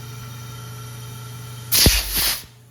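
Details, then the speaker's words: Honda S2000 turbo, pressurized through a pressure line for a boost leak test: sharp hissing rush as boost pressure escapes past the rings into the crankcase, pressurizing it; excessive crankcase blow-by, water noise also heard. "here and we are getting a lot of blow by which means boost pressure is getting in there it's getting past the Rings and it's pressurizing crank case [Music] you can even hear it so it sounds like we have pretty excessive Blow by in the motor"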